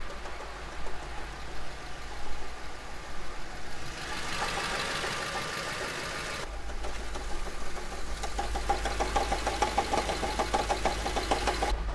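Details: Audi S4 V8 engine knocking, an uneven knock about once per second riding over the low rumble; source of the knock unclear.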